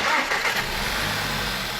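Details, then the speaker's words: After cleaning an oil-sludge-stuck camshaft three-position four-way oil pressure control valve on a VW/Audi 1.8 engine, which previously made a knocking "ka-ka" noise despite a replaced high-pressure fuel pump: quick start, even idle, no knock; normal start and idle. "发动机完美启动，这才是大众奥迪的1耳3个8的发动机该有的声音。"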